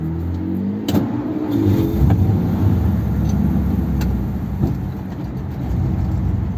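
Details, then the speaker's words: 1957 Ford Thunderbird on road test after reinstating original parts replaced by 30-year-old mods: engine note rises and falls unevenly with stumbles and pops, misfiring badly and surging; owner will check whether it's flooding again. "I don't know if you can hear it but the car yeah it's really misfiring badly which you didn't used to do"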